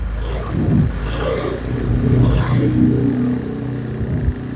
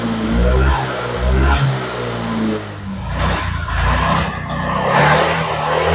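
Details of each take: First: Honda Vario 125 (old model) with severe hesitation (brebet), fuel pump pressure normal: engine revs unevenly with rough, stuttering pulls; O2 sensor reads stuck around 0.1 V even when warm and revved, suspected faulty O2 sensor or its connector. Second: Honda Vario 125 old (Vario Techno, KZR) after repair of severe hesitation/misfire (brebet parah); fuel pump pressure was normal, injector checked; engine now blips up and drops back cleanly with crisp, even throttle response, no stumbling; healthy revving.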